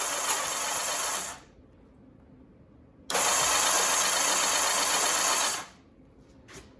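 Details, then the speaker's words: 1984 Honda CBX750 after rebuild, plugs out, no exhaust, cranked to circulate oil: two bursts of smooth, even starter whir with no grinding or knocking; normal cranking with spark plugs removed. "But everything's cranking over. The plugs are out. The pistons are going up and down."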